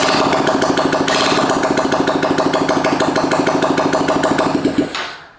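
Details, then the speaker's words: 2022 Honda Grom single after a PCX150 fuel injector install, running with no exhaust. Quick, even, loud raw popping idle that holds steady until switched off; normal idle. "turn it off and let it go one more time and actually let me open up the garage door i've got no exhaust so it's going to sound a little strange"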